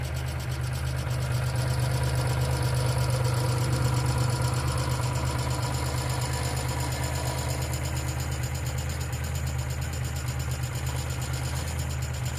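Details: 1995 Geo Metro at idle: a light, quick ticking at about three per second rides on a steady low idle, pointing to a noisy hydraulic lifter; B-12 fuel injection cleaner added to the engine oil before changing it.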